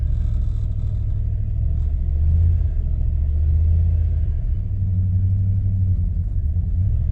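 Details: 1998 Jeep Grand Cherokee ZJ 5.9 Limited V8 on bad gas being diluted with fresh fuel: deep rumble surges and sags unevenly, never settling, then dies; cause suspected to be bad gas, not confirmed; rough running then stalling.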